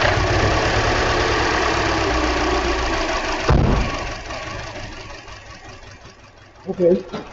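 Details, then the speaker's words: 2013 Hyundai Elantra with flashing check-engine light, idle after refitting coils with two new plugs: lumpy, uneven idle with an irregular stumble a couple of times a second; ignition misfire persists, one coil barely sparking. "still misfiring, no doubt about it. Definitely misfiring."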